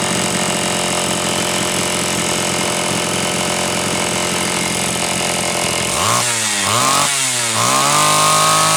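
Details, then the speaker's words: Homelite Super XL chainsaw (brought in for boiling fuel and overheating) on test run after starter spring fix and replacing a bad new spark plug; steady idle, three clean rev-ups, strong high speed; high side set slightly rich on purpose to warm it up; runs properly. "okay oh man she's just a tiny tiny bit Rich still on the high side but I did that on purpose that way I could run it pegged like that to try and warm it up a little bit"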